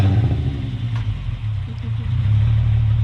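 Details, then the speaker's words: VW Jetta with a stock small V6, tuned, first start on the ground, check engine lights on with a suspected MAP issue: catches quickly, settles into a steady smooth rumble and picks up cleanly, no knocks or misses. "i think i think everybody can hear it sounds so good that stock that's a little v6 fired right up"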